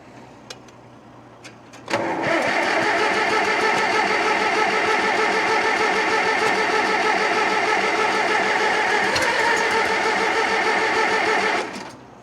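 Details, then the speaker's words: 1947 Farmall M on its first start since October after over a month below zero, jumped from a truck, throttle worked: about ten seconds of steady cranking at roughly three turns a second with no firing. Flooded engine, fuel dripping; owner hopes the float isn't sticking. "probably flooded it already oh yeah she's dripping well she's flooded flooded for sure"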